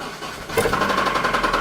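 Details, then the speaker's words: Audi B5 S4, manual-swapped, runs and moves under own power: starter catches, engine fires, then a fast, hard metallic knock on every turn at idle; owner says it has a bad rod knock. "it just has a mean Rod knot uh you'll hear it here when I turn it [Music] on"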